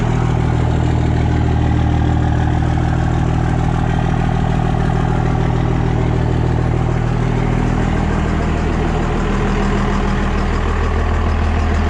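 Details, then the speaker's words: Cummins 24-valve diesel pickup just converted to a P-pump, first fire-up: steady, even diesel clatter at smooth idle, no misses or knocks; runs pretty good, before fitting 4K governor springs. "guys can tell, the truck does run. It sounds like it's running pretty good."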